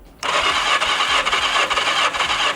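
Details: 40-year-old turbo Yamaha motorcycle during a compression test: brisk, even starter spin with no firing or stumbles; compression on this cylinder healthy.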